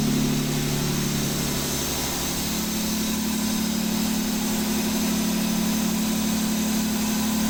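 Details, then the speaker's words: Mazda MX5 with a swapped-in replacement engine: steady fast ticking over idle that firms up with revs; swapping the VVT solenoid changed nothing, so the owner suspects the VVT mechanism itself behind the front cover, not confirmed. "well that's pretty conclusive changing the solenoids didn't change anything solenoids on both sides seem to be working okay really it's down to the actual VT mechanism itself"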